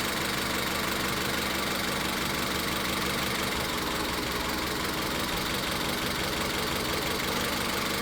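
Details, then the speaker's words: Car with an uneven, stumbling idle and an irregular lope about ninety times a minute. Coil and injector power balance tests show cylinder three is dead, and the cause is not the spark. "Entonces, ya en este punto nos estamos dando cuenta de que hay falla en el cilindro tres y de que el problema no es la chispa."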